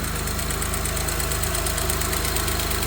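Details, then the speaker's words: Honda 3.5L V6 with 275,000 miles at cold idle right after timing belt and water pump replacement: even, quick firing pulse with no ticking; the earlier ticking is gone and it should get quieter once warm. "Oh, it sounds much better. No ticking. That's how I knew it needed to be changed."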